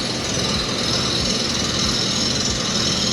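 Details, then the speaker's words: Toro Greensmaster 3250D cylinder mower reel on a spin grinder with vacuum on, low traverse speed: continuous harsh grinding hiss with rhythmic thump about every half second, load getting heavier; taper in the reel causing uneven grind load. "a little power change already in the Reel it's starting to get heavier [Music] do we hear it change yeah that's that's Tony there was a typer in that yeah"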